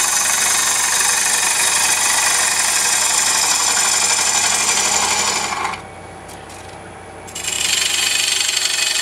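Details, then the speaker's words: Lathe hollowing of a single-block bowl: a harsh scraping cut with an even knock about four times a second as the gouge bevel bounces on the wood instead of cutting enough edge. "did you hear that banging I was beating the bevel right through here I wasn't cutting enough edge"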